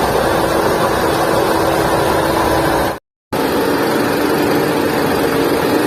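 Engine runs steadily with a constant mid-pitched hum riding over it that doesn't sound right; the cause can't be pinned down.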